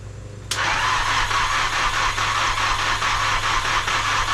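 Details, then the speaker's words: Nissan S13 with freshly rebuilt SR20 engine (Infiniti G20 crank, new gaskets and seals), first start at half throttle: fires at once and settles into steady even idle, no knocks or misses; sounds healthy, oil pressure unmonitored. "ahead half the gas hold it down hey running you just let go you're good good job hey it runs thank you it freaking runs dude looks good I don't have any way to monitor oil pressure but I mean it sounds good"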